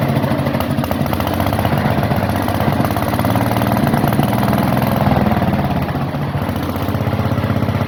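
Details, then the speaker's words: Onan generator last run around 1983–84, revived: steady, even single-cylinder thump at constant speed with no misses, knocks or surging. It is running healthy. "as for right now I'm happy to have a good running unit"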